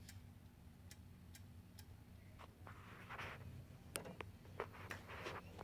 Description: When I start the Xbox One, it makes a series of clicking noises and will not load beyond the green screen.